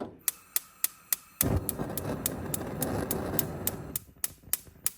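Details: DCS gas range center burner: sharp igniter snaps about three and a half a second keep going after the burner lights with a whoosh; secondary flame must light for igniter to stop.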